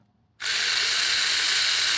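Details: Classic Porsche door mirror motor driven up, down, left and right by the joystick after wiring tests showed the brown/black common wire missing (suspected broken in the door). Sudden, steady, even high-pitched gear whir. Normal mirror motor operation.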